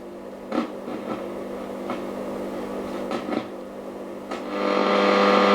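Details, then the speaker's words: 1937 Telefunken Torn.E.b. WW2 radio repair; irregular pops and crackles over the hum while tuning with antenna, reception cutting in and out, sounds like the tuning capacitor shorting or arcing, cause suspected, tuning capacitor tested next: crackling while tuning. "as I'm tuning it it sounds like the tuning capacitor is shorting out or something like that"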